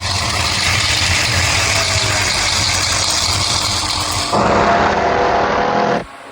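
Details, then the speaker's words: 1957 Chevy V8 running rough and busy with a fast, uneven clatter over the engine; teardown found locked lifters as the noise, plus the thrust bearing and failed center bearing. "so I think we can safely say that um the noise was lifter the noise was also somewhat throw up bearing and the center bearing was gone"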